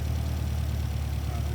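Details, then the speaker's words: 1973 Volvo 1800 ES rebuilt four-cylinder (new cam, solid lifters, cam and crank bearings; 150 psi per cylinder), just started: a smooth, even low idle with a steady rumble and no knocks or ticks; running normally. "But as you can hear it, it's one of the best running Volvos that I've ever heard of. You know, after being rebuilt, it's just so smooth."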